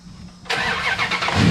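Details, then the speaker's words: 2003 Ram Hemi after a battery replacement, alternator now charging over 14 volts: warm restart with a quick crank, catching at once and settling straight into a strong, even run with no stumble. "that thing fired right on up so with having the battery and alternator fixed that issue solved"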